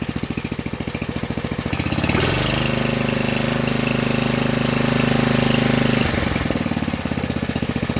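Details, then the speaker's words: Old single-cylinder small engine on its first start for the owner, choked with the throttle set halfway: it idles with an even, steady beat, revs up cleanly, then settles back to a regular idle; normal idle. "Runs beautiful. And thank you to my brother Clay for this motor. It's awesome and it runs great."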